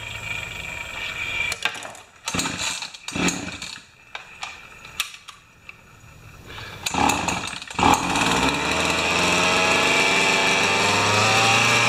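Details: Pioneer Partner 500 chainsaw after fuel tank clean and reassembly, idle just turned up; after start-up pulls and sputters it catches and settles into a steady high buzzing run, running normally.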